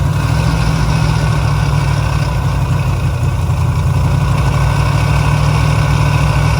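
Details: Resurrected 383 V8 with oil pressure, fan bolt on front loose: steady, deep, even idle burble with no knocks or misses; engine sounds healthy.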